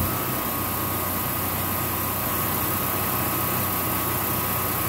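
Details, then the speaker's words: Early-series Generac standby generator after troubleshooting failure to run and transfer back, battery charging at 13.84 V: starts and runs with a steady, even drone and faint constant whine, no misses or knocks; seems to work. "Starts up and seems to work."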